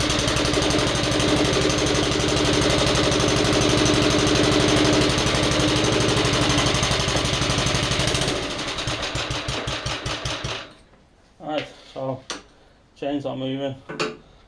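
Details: Old non-running lawnmower bought cheap: an even, steady beat of about four pulses a second for eight seconds, then it winds down; it runs smoothly and healthy.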